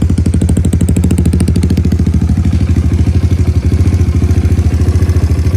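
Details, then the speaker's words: Kawasaki KLX110L single-cylinder right after cam chain install and timing set, fresh oil: steady even putter at idle, no knock or rattle; runs clean, though carb still needs re-jetting. "Oh, that sounds right now. I mean, that sounds clean."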